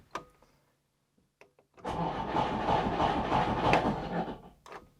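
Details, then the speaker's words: Trabant P60 starter motor, removed and serviced after a click-no-crank fault: about two and a half seconds of steady even cranking at roughly three turns a second, then clunk as starter retracts; turning freely, solenoid suspected. "is it's not the best sound when the uh when the starter engine retracts I don't know what that is but it is working"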